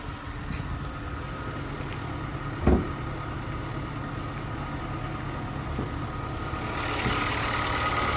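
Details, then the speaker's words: Just-serviced 2019 Nissan Qashqai ST with full service history, idling and heard with the bonnet open. A steady, even hum with no knocks, rattles or squeals, plus one brief handling thump: normal, healthy idle. "And as we listen to it run, no major knocks, rattles or squeals, which is always great."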